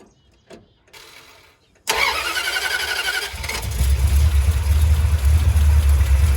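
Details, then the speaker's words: 1977 Dodge D200 with 360 V8, just fitted rebuilt carb and new intake, choke disconnected because powering it kills the engine; fires at once and settles to a steady even low rumble with no misses or knocks before a first test drive, running well. "I just want to take for a quick test drive but other than the choke it seems like it's running pretty good"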